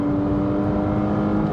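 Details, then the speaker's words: Porsche Boxster S 987, 3.2-litre engine with sports exhaust, about 16 years old and over 120,000 miles, full-throttle acceleration: strong, steady engine note pulling hard, smooth with no knocks or rattles; normal healthy engine. "this thing feels like it would just keep going and going i've got a bus in front of me so i'm gonna have to put the brakes on but what what a pull that engine still has really really puts you back in your seat when you put your pedal to the metal and couple it with that sports exhaust which still sounds phenomenal"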